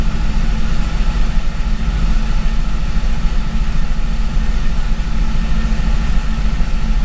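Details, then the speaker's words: C5 Corvette Gen 3 LS1 with LS3 90mm gold blade throttle body: after a hard cold start, deep steady slightly lumpy V8 idle warming up with no knocks or misses. "it definitely didn't like that cold start for some reason so we'll have to kind of play around with that a little bit but I was able to get it to run an idle we'll let it warm up here just a second"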